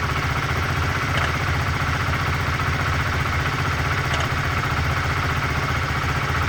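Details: 2004 Honda CBR125R, 14,000 km, idling: steady idle with an occasional sharp, tinny knock that comes and goes. It appeared suddenly and echoes in the muffler but seems to come from the engine. Source unknown.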